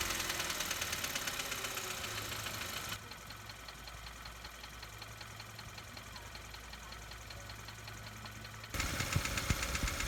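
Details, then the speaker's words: Engine bay checked with a mechanic's stethoscope while accelerating: light, regular tapping about three per second over the engine hum, rising with revs; small exhaust leak considered but doubted, source not yet found. "It could be, I don't think it is, but it could also be small exhaust leak that could be making that noise, because as we accelerate, and I'm going to show you, it's going to pick up a little bit."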